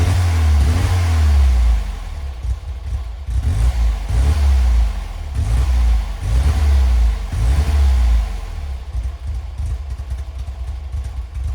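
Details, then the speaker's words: Classic Ford Fiesta barn find, first cold start after years of storage, on choke: small petrol engine with revs rising and falling about once a second, even firing without knocks; normal cold idle on choke. "it runs and well isn't it just a Charming old car and that sounds really really nice we're on choke at the moment for those of you that remember what choke is"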